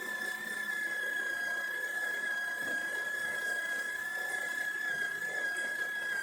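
Steady high motor whine holding an even pitch throughout, with a soft gritty hiss of beans; grinder runs smoothly and evenly.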